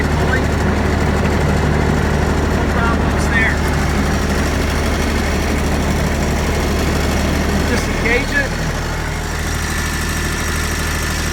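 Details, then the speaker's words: Kubota ZD326 zero-turn mower bought in 2006, about 230 hours, after new deck belt and centre pulley wobble repair, deck engaged: steady low drone, deck spinning evenly, no slapping, squeal or thump; belt and pulleys running true. "you can see down there everything's turning the hole is turning nice and through following like it was i can look at my left side pulley i don't see any issues there"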